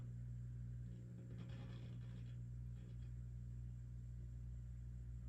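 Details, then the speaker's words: Sound City L100W MKIII tube guitar amp during bias adjustment: steady low mains hum with no rhythm; output tubes not perfectly matched, and adjusting the balance can dial out some hum. Hum from mismatched output tubes. "When your tubes aren't perfectly matched, sometimes you can actually, given the ability, you adjust them and you can actually dial out some hum."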